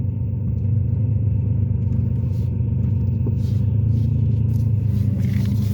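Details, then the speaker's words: Ford Taurus after a shop visit: a heavy, steady low exhaust drone under a smooth engine, sounding like a diesel, with power dropped dramatically. Owner suspects an exhaust leak the shop caused; not yet confirmed. "yeah that other shot they did something to my exhaust so now my mechanic over here he's gonna try to check it out and see exactly what's going on with the exhaust"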